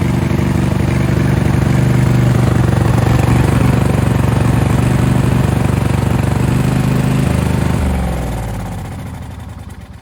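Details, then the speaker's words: Craftsman riding mower, hot-wired to get past wiring faults, running: steady low thumping at about four beats a second, then a smooth wind-down. It drives forward and backward, but turning the PTO on or releasing a held button kills it; wiring gremlins are suspected. "Okay, success. It runs, it moves forward and backwards, but I turn the PTO on, kills it."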